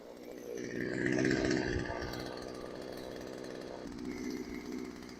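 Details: Craftsman chainsaw left outside for years, after low-speed mixture and idle adjustment: buzzes strong and clean, revs crisply and settles back without bogging; running properly tuned and healthy.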